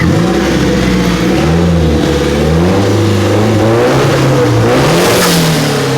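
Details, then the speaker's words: Freshly installed Nissan SR20DET turbo engine's first revs after start-up and coolant bleeding: revs blip up and down cleanly with pitch following throttle and a short airy blow-off hiss on lift-off; sounds healthy. "I convinced Calvin that we have to rev it a little bit just to hear it, and I'm really curious to see what this blow off sounds like."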